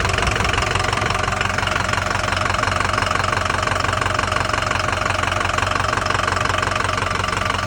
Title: 2005 F350 6.0 Powerstroke Bad engine noise